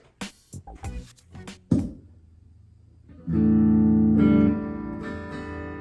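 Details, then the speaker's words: 2017 Gibson Les Paul Traditional through an amp: held chord drops in volume when the pickup selector switch is flipped, from dirty contacts; volume pot also crackles, before cleaning with DeoxIT. "test did y'all hear that so when I switched it it actually dropped in volume"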